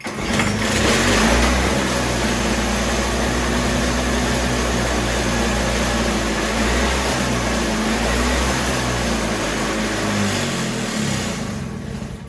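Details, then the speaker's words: Toro CCR3000GTS snowblower (5 hp Suzuki engine) restarted while being run dry for summer storage: it catches and runs unevenly for several seconds, then dies as the last carburetor fuel burns. It usually restarts once or twice more. "I was about to say that we would run it dry, but that's oftentimes what happens. Usually you can get it to start one or two more times."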